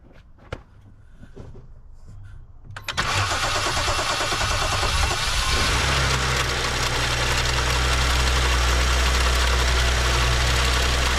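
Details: BMW 535xi M Sport, N55 engine, previously knocking with code 165014 (HPFP/intermediate shaft sensor plausibility), just fitted with a new high-pressure fuel pump and cam follower, air filter off. Short quiet crank, catches about 3 s, steady even idle, no knock or tick.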